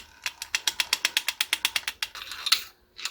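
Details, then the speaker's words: 1959 Shakespeare Spin Wondereel No. 1761 Model FB during a service: when the handle is wound fast, a quick run of sharp ticking clicks comes about a dozen a second. The pickup pin may be rubbing a dent in the housing, suggested by a shiny mark there, and the dent was then popped out. "do see I do see some shininess right here where that Den is which may mean that it's hitting there maybe I just need to pop that dent out a little bit"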